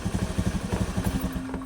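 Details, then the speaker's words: Scooter CVT after replacing worn, loose roller housing bushing: even engine pulses rev up cleanly with no rattle; previous loud clatter at idle gone, CVT now nearly silent and healthy. "sudah senyap sama sekali tidak ada bunyi korok-korok seperti tadi."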